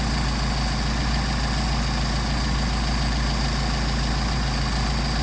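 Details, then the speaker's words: Mercedes 190SL with rebuilt Solex carbs (new throttle shafts, trued mating surfaces), from a 39,000-mile car, on carb test: low, steady, even idle at 700–750 rpm with no misses or hunting; normal idle before idle mixture screw adjustment. "700 right here, 750 for RPM. Good."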